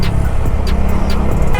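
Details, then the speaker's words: Bajaj Dominar 400 single after service with combustion/spark performance changes, on test ride under load: deep even exhaust thrum, earlier rear "kat-kat" ticking gone, smooth gears, runs healthy. "आवाज़ भी एकदम change हो गई। अब ना जो बेसी sound था वो साउंड आ रहा है, वो पीछे जो cut cut cut cut cut cut cut cut होता था ना, वो नहीं आ रहा।"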